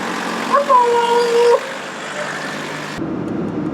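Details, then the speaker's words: 45-year-old VW Golf Mk1 diesel: a short wavering squeak over the running engine persists; owner suspects the water pump or its pulley, since spraying lubricant on it earlier made the sound disappear. "As you can hear, I think you can hear it pretty clearly that the sound is still very much there. I don't know what exactly makes the sound. I'm pretty sure it's has to do something with the water pump."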